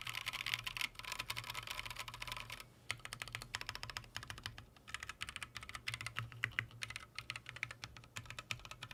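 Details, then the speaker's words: Freebird TKL keyboard build, stock Green Snake switches, Durock V2 or TX stabilizers, empty case: fast clacky keystrokes with thin echoing hollow tone and faint rattle on large keys; hollow-sounding typing, stabilizer rattle suspected. "what I sort of anticipated this is being very Hollow sounding and I'm going to show you what that sounds like right now"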